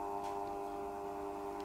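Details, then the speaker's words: Cheap Banggood triac speed controller driving an induction fan motor turned down: a steady harsh electrical buzz with a nasal hum over the slowed fan. The buzz comes from the triac chopping the supply and persists until full speed. "i hope you can hear that buzzing which is clearly unacceptable you can't operate the fan under such conditions but it does actually vary the speed [Music] you can hear the buzzing which is the triac basically sending out square waves into the power supply"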